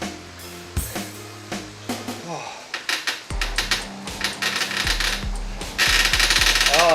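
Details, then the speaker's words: Garmin Tacx Neo 3M smart trainer with Tacx Alpine front riser, Zone 2 riding near 188 W average at about 90 rpm cadence, late in a long ride: sharp uneven creaks and knocks about four a second come and go; rider thinks it's the trainer, not the bike, cause unknown. "that sound is bad. It's coming and going though with this trainer. I don't know what it is."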